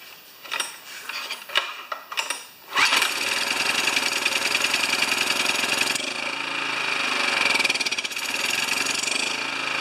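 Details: Older Honda EX1000 generator, which had only run with choke on; after fresh gas and governor linkage reconnected, it catches after a few rough tries and settles into a steady, even high-pitched buzz with no surging or misfire; running normally.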